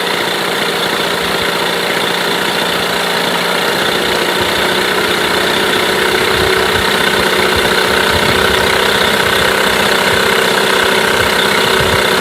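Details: Mercury 8HP outboard, bought used after sitting unknown time, first start test running in a water tub after carb cleaner; steady even buzzing idle, constant pitch, no misses, knocks or surging; running cleanly, normal idle.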